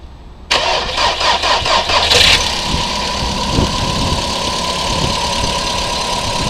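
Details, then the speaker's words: 2011 VW Polo Sedan, 25,252 km, February start: engine catches, a brief metallic clatter in the first couple of seconds settles into an even idle; metallic knock on cold start that fades. "Вы слышите этот металлический звук? Да, я слышу."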